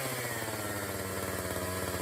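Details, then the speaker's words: Borrowed Echo CS-590 chainsaw, hot: holds a high, steady buzz at rest instead of settling to idle; the throttle races, it won't shut off unless choked, and it bogs under throttle, from a faulty carburetor. "However, once it gets hot, it starts to act weird. The throttle races,"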